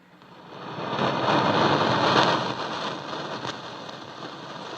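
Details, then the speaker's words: 1950s Sparton AM/FM eight-tube radio (type 8M10 chassis), warmed up and set to AM: a hissing, crackling rush with no clear station, though it picked up a station earlier. Noisy AM reception, cause unconfirmed. "I had a bird it was actually picking up a station I was gonna do it for us now if you hear about all that random noise"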